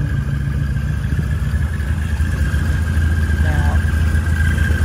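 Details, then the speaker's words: Rebuilt VW Mk1 Rabbit engine idling after re-torquing bearing caps with oil pan off (cheap torque wrench blamed); smooth, even low idle with steady pulses, no bottom-end knocking; normal idle, owner still wary. "this is just amazing do I still trust it no but it's running"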